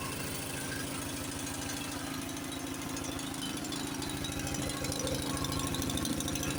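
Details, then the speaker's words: Honda snowblower pre-storm check, electric start with choke on: small engine catches and settles into a steady, even putter about three beats per second with no misses; normal start and idle. "Of course, you want to make sure it starts. Let me think. I got electric start on this. Let's see if it will work."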